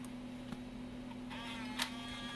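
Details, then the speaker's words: Macintosh PowerBook 165C floppy drive with known-good 800K disc: faint ticks and short whirring seek over low hum, then it quits, failing to read; bad floppy drive. "this is a 800k disc nope that's not right so you've got a bad floppy drive"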